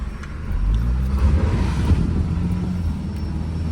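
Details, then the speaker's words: 2000 Audi B5 1.8 automatic, over 300,000 km, after repair including new oil pump: deep exhaust rumble swelling with revs, no tick or knock from the engine; engine quiet and healthy, only the exhaust loud. "Quiet engine, you can hear it doesn't even make a noise. Absolutely perfect."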